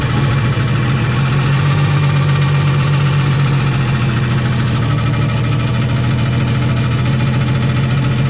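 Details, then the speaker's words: Nissan Skyline with rebuilt engine, first runs after install: steady low drone at idle with a slightly uneven, loping beat; odd noise from underneath, dies when touched, cause not yet found. "That sounds odd. Sounds like it's coming. That sounds odd down there."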